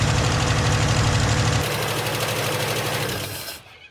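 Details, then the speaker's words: 1974 Holden HQ wagon six, carburetor rebuilt, on a temporary bottle fuel supply: rough start with quick steady top-end tick over an uneven beat, then dies; noisy lifter on number five cylinder, which runs cooler and poorly. "address this noisy lifter it's number five cylinder for sure because as I showed you with that pipe it's running a lot cooler"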